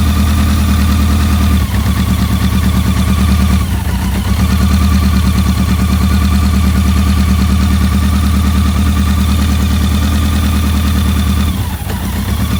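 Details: BMW K100 motorcycle with a no-start traced to a dirty #4 injector plug: deep, steady idle with a smooth, even beat and only brief dips every few seconds; runs evenly on all cylinders, normal idle.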